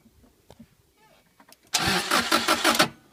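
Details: Subaru Impreza with new ignition coils, fuel and spark confirmed: starter spins engine in even churning rhythm, stops, resumes, never catches; cranks but won't start.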